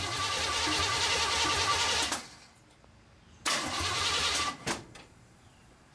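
About two seconds of fast, even starter cranking, a pause, then another shorter crank; the engine never catches, so it cranks but won't start.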